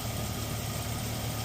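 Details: Jeep Cherokee 4.0L inline-six at 345,000 miles after cracked-piston replacement and rebuild; smooth, even low idle with no knocking or ticking, running sweet and quiet.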